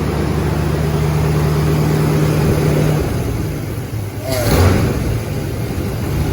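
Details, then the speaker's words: Freshly reassembled carbureted engine (coil, distributor, hoses just hooked up) gives a low steady drone with a brief rev around four seconds, then settles back to even idle. Started without priming or starter fluid; normal idle. "I didn't even prime it with gas. I know. We didn't put gas in the carburetor. We didn't hit it with starter fluid. It just wants to run."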